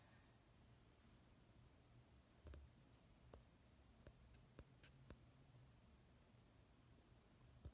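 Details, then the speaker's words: Apple-style USB charger under teardown test, board showing charring, no short found, output working with no visible flicker: a thin, very intense, piercing high-pitched whine holds steady over a quiet room while under power. "Alright, so it does work, but it creates this very intense high-pitched noise."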